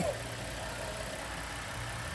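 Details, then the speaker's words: Gasoline engine at 3000 rpm after two 40-minute sludge cleanings with BG Dynamic Engine Cleaner: steady, even smooth hum, previous knocking fully gone; normal engine revving. "Vamos a escuchar cómo escucha este motor después de la limpieza. Prácticamente se le quitó el golpeteo al 100%. Ya no se escucha."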